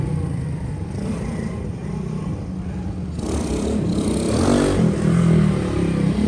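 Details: Custom Honda S65 with a Lifan 140cc four-stroke engine swap, ridden in a parking lot after years parked: putters evenly at low speed then pulls up smoothly on throttle, no misses or knocks; owner feels no more pull than a 125. Normal running.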